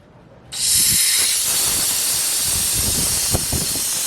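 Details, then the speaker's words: Peterbilt air brake tank drain valve opened: sudden sharp hiss holds steady as compressed air vents, with no oil or water moisture expelled; normal purge indicating the air compressor is working and not leaking oil. "and you can see that there's no oil or or air water moisture coming out and that's a good sign that the air compressor is working and it's not leaking oil"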